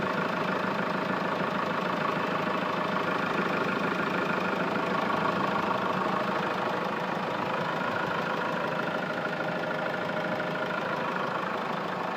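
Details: Hyundai Grand Starex at a steady diesel idle, with a faint abnormal ticking knock about twice a second over the clatter coming from the engine. The cause is unclear.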